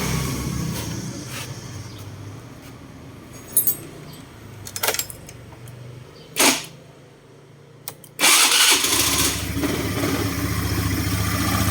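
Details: Honda Scoopy i scooter after fitting a new starter motor in place of a non-genuine one: a few short starter bursts, then the engine catches near eight seconds and settles into a steady idle, so the starter works.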